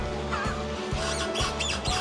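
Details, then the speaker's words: Mercedes-Benz C-Class with suspension noise: high, mouse-like squeaks and creaks about twice a second over music from a worn control arm bushing; shock absorbers leaking oil, mechanic suspects the control arm and plans to replace it first to test. "교환 하는걸로 말씀을 드리는데 어디서 나는지 를 좀 우리도 알고 싶으니까 먼저 로 헐 교환하고 테스트를 해보는 거야"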